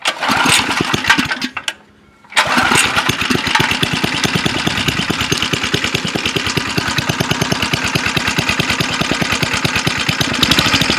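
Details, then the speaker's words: Go-kart small single-cylinder after fixing a centrifugal clutch that engaged at idle with loud chatter and stalled the engine, excess oil cleaned off: brief stumble then steady even putter, no chatter; normal idle after repair. "it sounds good this thing was running so poorly that I think would have would have done it by now things gonna do it so pretty happy with that"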